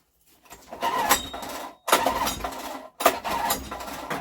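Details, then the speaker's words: Scrap Honda recoil-start generator, choke on, switch on: three recoil pulls a second apart, each a brief whirr dying away with no firing at all; a no-start, spark to be tested first. "but no she has no joy in her whatsoever so I think first thing to do is test for a spark"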